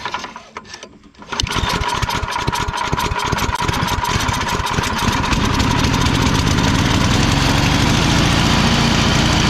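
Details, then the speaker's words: Free Craigslist Yard Man/MTD snow blower after recoil cord restring, primed and pull-started: engine catches after a second and settles into a steady, even popping idle at about four beats a second; recoil works, healthy normal idle. "the recoil works it started it up everything's good on this end"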